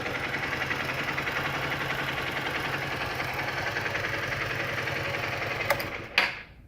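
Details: Honda XR150L at idle: rapid light ticking over a steady single-cylinder idle throughout, with a clunk near the end; abnormal engine noise, cause unclear.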